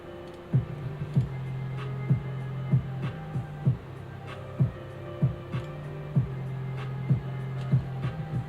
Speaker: it sounds like it's reading yeah okay so this is actually a fully working console